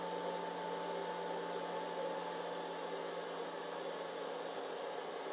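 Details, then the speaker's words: Twing/Maxpart 1000 W pure sine wave inverter after hair-dryer load, now warm: its small cooling fan has just kicked on (owner thinks at about 113 degrees), a soft, quiet, steady airy whir with no ticking or rubbing. Normal fan operation. "Oh, the fan just kicked on. I heard it. It's real small, but you can hear it."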